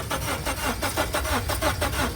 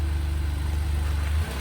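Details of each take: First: 2015 Honda Civic with a jump box attached: the starter cranks evenly at about four or five turns a second and never catches, cranking but not starting; possibly out of gas, unconfirmed. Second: 2015 Lexus (announced as RS350), started with a jump: low, smooth, even idle hum with no knocks or ticks and a steady note; very quiet and started easily.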